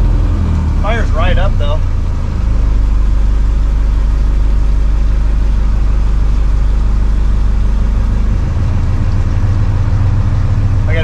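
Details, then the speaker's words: Ford Lehman marine diesel on a sailboat, started after replacing wet sleeve O-rings for a coolant leak: steady, even low rumble held a little above idle, no knocks or misses; runs smoothly. "Alright, so as you can hear, the engine's running."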